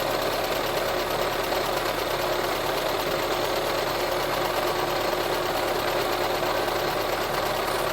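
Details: VW Touran 1.4 TSI (supercharged and turbo) petrol engine idling after engine reassembly: light, fast metallic rattle, first suspected as the chain/tensioner, traced to a worn water pump pulley with play.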